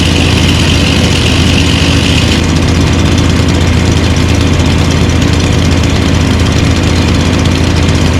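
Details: Lawn mower engines (stand-up, push and big mower) idling after winter storage, unused since December with fuel stabilizer added: a loud, steady idle with an even, quick rhythm and no misses or surging. A normal idle.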